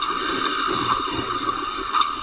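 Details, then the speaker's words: F4A232 automatic transmission air test: air applied to the end clutch (4th gear) port gives a steady hiss with wet bubbling sputter, showing air escaping past the end clutch seals, a leak noted before disassembly. "Okey, apa yang kalau anda boleh dengar itu adalah kebocoran pada bahagian end clutch dia, maksudnya pada bahagian bahagian gear 4 dia ada kebocoran."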